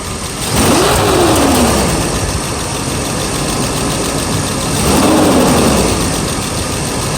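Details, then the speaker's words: Mercedes S500 V8 at operating temperature, first start after timing chain and guide replacement on a weak battery: uneven, stumbling idle with two short revs. Misfire; owner suspects a swapped spark plug wire. The car then went into limp mode. "okay Kenny start it right up really nice but I do have a misfire though"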